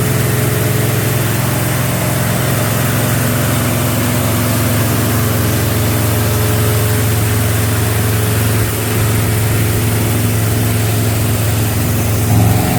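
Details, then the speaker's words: Freshly built small-block "Pontiac" 327 V8 about 15 minutes into break-in, holding about 190° with solid 50 psi oil pressure: a loud, steady, even fast-idle roar with no knocks or misses. Normal high idle. "so far everything's looking pretty good holding at about 190° solid oil pressure 7 good 50 psi sounds like a Pontiac"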